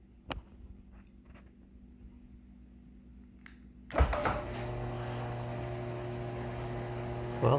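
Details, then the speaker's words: Martin DC 37e garage door opener, opened up after spraying Blaster silicone lubricant inside: clunk at start then steady low motor hum, no grinding or squeal; not making noise now, though owner doubts the lubricant helped overall. "it's not making any more noise there"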